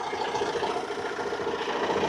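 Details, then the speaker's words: Renault Trafic 3 R9M diesel van, warm idle after about 10–15 minutes following a timing chain replacement: an even, steady tick-over with a smooth light clatter and no knocks or misses, sounding perfect, a healthy warm idle. "I'm happy with that, and it is sounding perfect."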